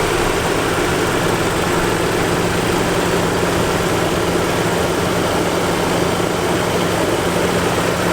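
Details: 1987 Nissan 300ZX 3.0 V6 idling, heard under the hood; smooth, even idle with a steady low drone and no knocks, ticks or misses, sounding healthy.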